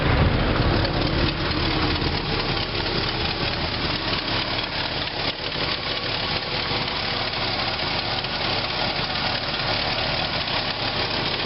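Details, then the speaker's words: 1976 Pontiac Catalina, about 115,000 miles, V8 with Turbo 400 automatic, converted to 4-barrel carb; steady smooth lumpy idle with no knocks, misses or squeals, no smoke; runs healthy. "As you can see, it's not smoking or anything. This car does run pretty good."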